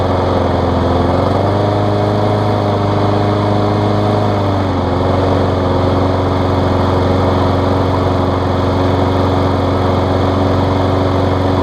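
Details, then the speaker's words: Craftsman push mower found by a dumpster, running after a carb diaphragm replacement, safety cable fix and service. An even, steady single-cylinder drone with a brief pitch shift, then smooth and quiet; running properly. "running great Michael quiet mower too"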